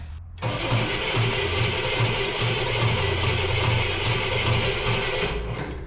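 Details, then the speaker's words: 1968 Cadillac Eldorado with Quadrajet carburetor, sitting over 20 years, choke on: starter spins engine steadily at good even speed but never fires; has spark, weak accelerator pump suspected, points may need cleaning; cranks well, won't start. "Okay, we got good cranking, but had spark."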